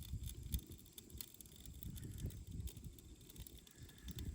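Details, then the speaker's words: Old Ford F100 truck after a short drive: faint sizzling, snap-crackle-pop and smoke from a smoking-hot wheel; opposite side with new caliper has no heat. Seized brake caliper dragging and overheating, needs replacing. "you hear it don't you there's a little snap crackle pop going on and some smoke"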